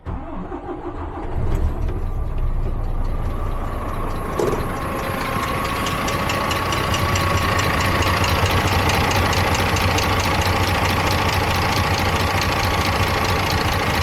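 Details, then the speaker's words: DAF MX-13 530, model year 2017, idling after start, customer complaint of ticking around 1000 rpm: fast, busy metallic clatter like a bag of nails; valvetrain/camshaft suspected, rocker cover to be removed. "Well, that sounds healthy. So now we know it sounds like a bag of nails."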